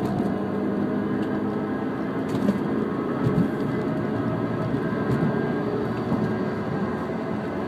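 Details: Pre-2003 Mini Cooper S R53, 115k miles, grinding noise since coilover install; wheel bearings, rotors, pads, tires and engine mounts fairly new; owner guesses slipping clutch; gritty grinding over road rumble with occasional knocks while driving, unconfirmed.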